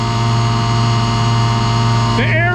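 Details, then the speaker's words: Pneumatic bulk tank unloading cement, about 10 psi line pressure: steady low drone, fixed blower tone; product packed during driving, aerators running to break it free as pressure drops slightly. "it packs while you're driving you gotta use aerators to break it free see we're already dropping a little bit on our psi"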